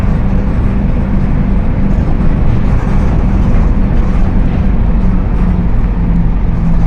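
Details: Mercedes-Benz OF 1721 BlueTec 5 bus chassis (Apache Vip IV body) with a rear axle problem, cruising: steady low drone under road noise with a faint low-midrange tone. Rear differential whine.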